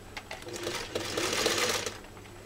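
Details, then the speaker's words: Freshly serviced Singer 301A sewing two layers of US Army grade canvas at higher speed: fast, even, light ticking from the needle and feed with no knocks or grinding; runs smoothly and very quietly. "what do you think it's crazy isn't it just how phenomenal this machine sounds or doesn't sound you can't even hear it but you can see it on the camera running right"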